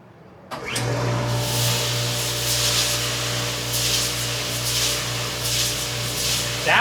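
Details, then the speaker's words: Landa SJ-15 parts washer, wash cycle with water still cold after a new strainer housing was fitted: pump starts then steady hum with constant spray hiss, no grinding or squeal, no leaks seen; normal wash cycle, though the pump shaft seal is known to leak. "I can hear it definitely spraying in there. Seems to be working. I don't see any leaks anywhere."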